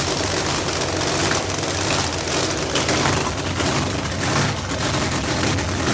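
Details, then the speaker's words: 4.9 screw-blown Hemi V8 in park: loud lumpy idle with a busy rough clatter and a metallic clinking felt up in the motor; torque converter first suspected, now the engine, cause not confirmed. "Something's wrong. It's clinking up here in the motor. There's something wrong with this engine."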